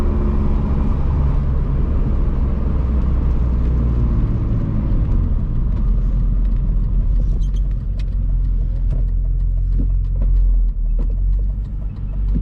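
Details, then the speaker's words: BMW E46 with the M52 engine and newly fitted headers, no muffler or resonator, driven at higher rpm under load: a deep droning exhaust that rasps harshly as revs climb, with small backfire pops; the engine runs fine, and adding a resonator is planned. "oh it needs a resonator that's bad that sounds like that sounds terrible sounds like a butt trumpet that's not going to work for me"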